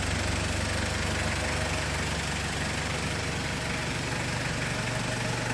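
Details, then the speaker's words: 1994 Toyota Hiace Super Custom van, 3.0 L turbo diesel, 2WD, very low miles, idling in park: steady even clatter and low drone, no misses or knocks, no smoke or smell; healthy. "but guess what it doesn't stink it doesn't smoke it's something about these older vehicles"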